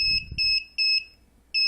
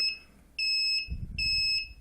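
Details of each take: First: DIY propane leak detector, MQ-5 sensor module with Arduino Nano, sensitivity trimmer being adjusted: loud, shrill beeps in short bursts that start and stop unevenly as the trigger point is set; alarm working. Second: DIY MQ-5 propane leak detector with Arduino Nano: sharp high beeps that quicken into rapid chirps as the gas source is brought closer to the sensor, indicating gas is detected.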